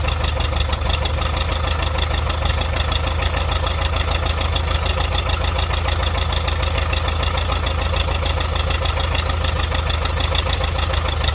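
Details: Volkswagen Type 4 1.7 litre engine at idle: deep, even idle hum with a steady knock, roughly three beats a second, constant throughout; cause not pinned down.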